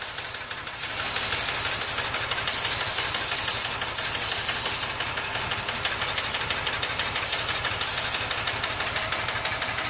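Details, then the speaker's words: 2005 Ford Taurus 3.0 with a stalling complaint, idling while starting fluid is sprayed around the intake and PCV and vacuum lines; steady idle under spray hiss that never rises, so no vacuum leak found. "I also believe my vacuum is fine I got good vacuum to the engine because I never heard the idle go up once"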